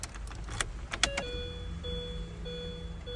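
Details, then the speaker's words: 2003 Mini Cooper S R53 after fuel filter replacement and adding 8 L of fuel, battery a little low: clicks and key sounds, then faint steady buzzing in short runs as the fuel pump primes normally. "okay I can hear that I can hear the fuel pump pumping and it sounds like it's got some fuel in it so we may have a start"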